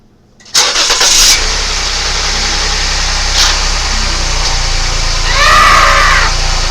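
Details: 2016 Lincoln MKX 2.7 L engine started after oil pan gasket replacement and oil refill: starter catches quickly into a smooth, even idle with no misses or knocks; no leaks afterward.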